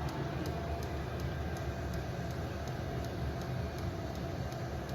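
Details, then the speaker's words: Vevor diesel heater after a soot clean-out: steady low burner roar under a regular pump tick of nearly three a second; flame lit and burning normally. "So we got a flame. You can hear the flame. If you can get over that tick, you can hear the flame light."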